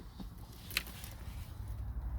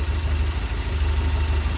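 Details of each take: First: Porsche 924, first test of newly installed fuel pump and accumulator (aimed at cold start issues), coil pack disconnected, little fuel in tank: faint steady hum for a few seconds after key turn, then stops; fuel pump priming normally, no visible leaks. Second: Porsche 924, cold start after sitting a few weeks, just after a new fuel pump and accumulator were fitted; deep, slightly uneven lumpy idle that improves when the airflow meter plate is lifted by hand; cause of rough cold running not confirmed.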